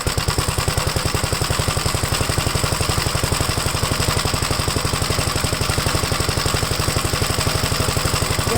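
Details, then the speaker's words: Second Gravely project's single-cylinder engine, run on a 12-volt battery while checking the oil pressure gauge, with the generator untested: an even single thump of roughly ten pulses per second, no skips or rattles. The owner is surprised it runs good. Normal running. "yeah I'm surprised this one runs good too it's a winner"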